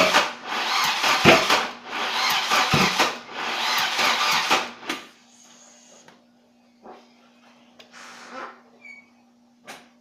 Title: 740 no start pt2